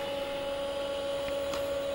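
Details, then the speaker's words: Commodore Amiga A4000/040 during annual test boot: steady clean mid-pitched whine with soft hum and a few faint ticks; original 1992 hard drive spinning normally. "Amazed by this computer actually because things like the hard drives from way back in 1992 still work just fine and the whole computer built boots up just fine"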